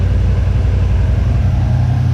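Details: 1979 Chevy C10 squarebody engine after sitting 10+ years, coolant flowing, no leaks: steady, even low rumble with no knocks, ticks or misses at warm idle; no lifter noise, no blow-by, clean dipstick, judged a good motor.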